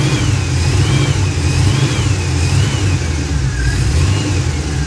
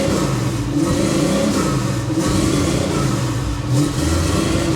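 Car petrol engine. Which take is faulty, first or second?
second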